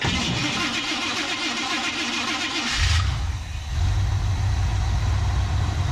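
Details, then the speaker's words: 1976 GMC truck, 350 V8, cold-morning start: starter drags sluggishly for a few seconds before catching and idling; owner suspects weak battery, maybe alternator not charging (usually one-crank starter); light smoke from rear, valve seals planned. "Oh, you gonna make me look bad in front of my friends, huh? Battery sounding weak. We may want to check the alternator and make sure that it's actually putting out voltage to our battery here."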